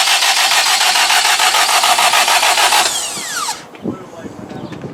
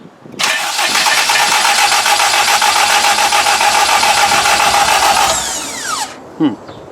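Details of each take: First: K20-swapped Honda EK hatch, deliberately cranked with parts unplugged so it won't start, to prime oil until the oil light goes off: even starter cranking at about 3.5 pulses a second, then winds down without firing; normal dry crank. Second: K20-swapped Honda EK hatch, attempt to fire it after oil priming: engine catches and holds a ragged buzz for about five seconds, then winds down and dies; stalling after start with the throttle plate shut.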